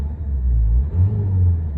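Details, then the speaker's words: 2013 Nissan Juke 1.5 dCi, 6-speed manual, about 75,600 miles: smooth deep diesel idle, then rev swells and settles with no knocks, rattles or whine; healthy engine. "hopefully you can hear there's nothing under W there it's all very very good as we would expect"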